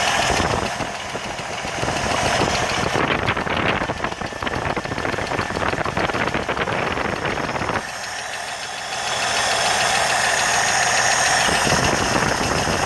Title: 1980 CJ7 ticking noise part 2